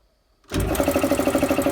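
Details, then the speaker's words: Air compressor, run from an inverter on a solar parallel battery bank at about 14 V after repositioning the inverter: silence, then instant start into a fast even chug about thirteen beats a second; no hesitation, healthy start. "Wow. That's That's impressive. Didn't even hesitate at all."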